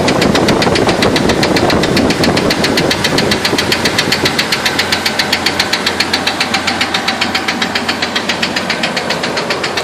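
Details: 2000 Jeep Wrangler petrol engine at idle with a sharp, steady knock about four beats a second.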